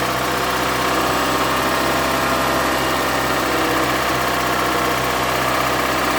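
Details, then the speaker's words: Toyota Camry with 2AZ engine at 220,657 km, smoking from under the valve cover, camera on a stand near the running engine; loud harsh idle with steady tapping knock about four per second, cause unconfirmed. "сейчас я поставлю камеру на подставочку чтобы вы смогли звук слышать работающего мотора и как он орёт он просто рвет это просто ужас"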